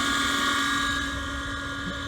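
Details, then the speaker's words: Gas furnace inducer motor mid heat cycle, running temporarily before replacement: steady high-pitched scream over the running furnace; inducer motor worn, needs replacing. "we're back and they are in the middle of the heat cycle before listening to that motor screen i hate to shut them down but uh need to get it fixed"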